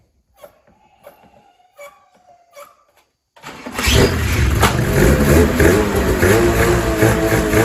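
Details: 2000 Ski-Doo MXZ-X 440 liquid reed-valve two-stroke race sled after carb cleaning, new pickup line, fresh premix and primer lines flipped to correct: a few clicks, then fires at once into a steady, crisp fast idle; healthy.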